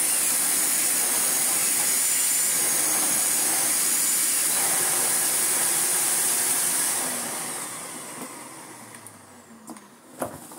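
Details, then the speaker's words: 1990s Philips Blue Magic Silence TC739 vacuum cleaner after hose repair: a steady high-pitched hiss rides over the motor's roar and fades as it spins down; owner suspects an air leak somewhere, not yet located, with little suction loss. "bless it definitely giving it an air leak somewhere but i'm sure that's going to be easily fixable another day"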